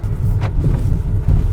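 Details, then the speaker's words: BMW X5 3.0T chassis clunk while driving: heavy road rumble with dull thuds; front strut top mounts worn, joints loose, shocks leaking, car pulls right, clunking for over a year. "看那咯噔咯噔的哈，全是矿量，一直都这样，1年多了，"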